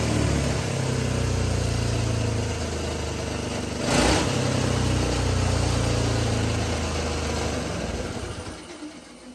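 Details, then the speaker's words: GX200 Honda-clone single-cylinder engine converted to hydrogen gas on a go-kart, pure water injected to cool combustion and stop reignition; at operating temperature it runs much smoother with steady thumping and occasional sharp backfire pops. "Okay, so that's the hydrogen engine running now with the pure water being injected in. Uh, as you can tell, the engine seem to run a lot smoother there, especially when I got it up to operating temperature. And obviously, we got some nice backfires as well."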